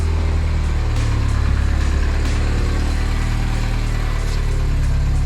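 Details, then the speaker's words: 2009 Mini Cooper S, first start after two years and head gasket, timing, intake, turbo and cooling work; PCV valve not installed, which owner suspects contributes; deep idle with slightly uneven lumpy beat, no knocking: rough idle. "It's running rough. No, we're good. Vacuum lines are in. The PCV valve is not in. That's probably not helping."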